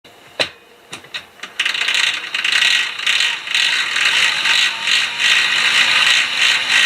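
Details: Fixed-gear (fixie) bike: loud, fast, uneven ratcheting clatter once pedalling starts, like the chain skipping over the cog under load; worn fixed cog suspected, replacement considered, not confirmed.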